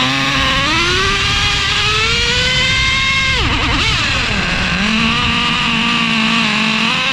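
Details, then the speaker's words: Traxxas Revo 3.3 nitro engine, first start after fitting new THS Racing tuned pipe: screaming high-pitched note wavering, sagging and surging at high revs, sounds fairly bad; owner suspects lean tune and will richen it. "I'm looking around the pipe right now, but of course, it sounded fairly bad. I'm going to richen it up a little bit and we will see what else we can make happen today."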